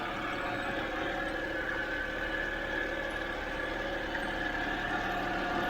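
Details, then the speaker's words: 2007 BMW 328i E90 after new electric water pump and thermostat, warming up, no new leaks seen: quiet, smooth, even idle with a faint steady hum, no knocks, ticks or misses; engine sounds healthy warm. "i'll let it run for a few minutes get it nice and hot make sure everything's okay checking for leaks and looks good i don't see any new lakes so"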